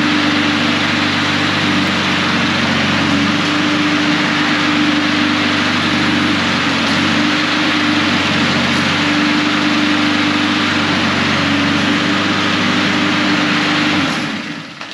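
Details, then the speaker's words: Husqvarna HU800AWD mower after almost three years sitting, with new drive belt and three idler pulleys, on three-year-old ethanol-free fuel: runs steady and even under load about fourteen seconds, shuts off cleanly; pulls strong. "that's it she pulls strong that's what we want um yeah it works"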